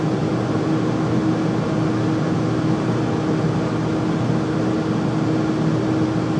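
Constant loud roar with a fixed low hum riding on it and no change over time; the furnace runs noticeably noisy, cause unclear.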